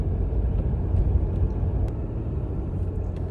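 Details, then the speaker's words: 2018 Ram 1500 EcoDiesel with a reported rattle over bumps and gravel, driven through a dip after driver-side inner tie rod and sway bar frame bushing work: only road rumble and keys jingling, no front-end clunk or rattle. "It's a dip, actually. Not really a bump, but heard the keys hit right there. But that's all I heard."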